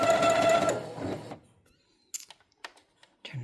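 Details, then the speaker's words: Brother CS6000i sewing machine, bought running only half speed, shown at half speed: brief steady mid-tone whir winding down within a second, then clicks; sluggish, lots of lint seen, seized bearing suspected. "The person I bought it from said that it will only go half speed. So here it is at half speed."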